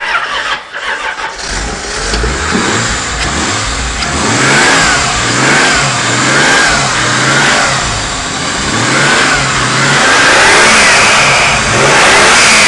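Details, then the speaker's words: 1987 Toyota 7M-GTE turbo engine, still needing a knock sensor and temperature sensor: crisp repeated revs with a rising turbo whistle and sharp blow-off chirp on each lift-off; turbo spools quickly, sounds healthy. "turbo spools up you can hear the blowoff actually hit and it spools up quick so perfect running engine just needs that knock sensor and the temp sensor"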